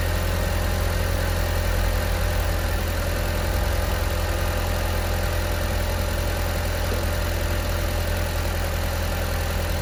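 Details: Audi TT with 229,000 miles on the dyno after an intake pipe that had come off was refitted and the dipstick tube refitted: a deep, steady, smooth engine rumble with no hiss or misses. It runs cleanly and has gained power.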